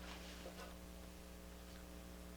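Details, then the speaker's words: 1960s Harman Kardon F10 Tempo mono FM tuner, just powered on cold before warm-up, through a Realistic SA-155 amp: faint steady low hum from the speakers with no station audio. "i get a light and i give it a very slight hum out of the speakers"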